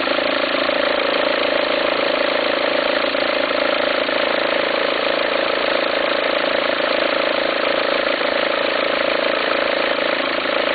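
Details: 2004 VW Passat 1.9 TDI diesel idling: coarse, pulsing rumble about three beats a second over the engine note. Belt appears to jump with the noise. Owner suspects a worn pulley and asks whether to replace the pulley or the whole alternator.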